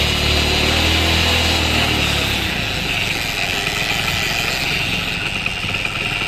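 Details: Motorcycle engine after rebuild, steady running: deep droning growl that fades when the clutch lever is pulled in; clutch-side gears timed a tooth off. Incorrect clutch-side gear timing.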